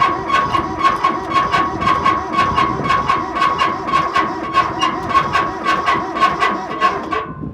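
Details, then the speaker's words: Kubota B7100 diesel tractor with loader, sat about 10 years in a collapsed barn, glow plugs preheated: slow cranking with sharp metallic scrapes about twice a second and a thin ringing; noise seems to come from the exhaust, owner suspects a clogged exhaust. "don't like that sound. Not sure. What that is. Let's see if we can identify it. Oh, it sounds like it's like a cylinder scraping or something."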